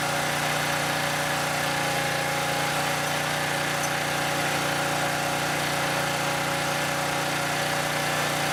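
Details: Southland lawn edger that wouldn't start, spark plug replaced: small petrol engine holds a steady, even buzzing idle for several seconds, no misses or surging; normal idle.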